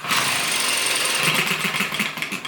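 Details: ET6 model hit and miss engine from Banggood, start attempt: light rapid ticking that slows and fades with no firing beat; won't catch, owner also suspects sensitive carburettor.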